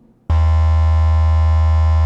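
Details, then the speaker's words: Speaker test tone at 80 Hz in a door without sound deadening, with custom speaker pods: steady low tone with a harsh buzzing edge as the door panel rattles and vibrates; deadening removes the buzz. "At 80 hertz, there is nothing but vibration and rattling going on. That is this noise"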